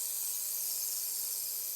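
Constant high-pitched buzzing hiss with no low end; this is an ultrasonic cleaner working normally, not an air leak.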